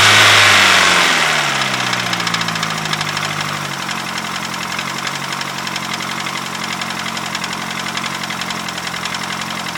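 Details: Ford Fiesta RS Turbo petrol engine, owner calls it dead: idles with a steady, fairly regular knock, about four a second, with two brief revs; engine knocking at idle.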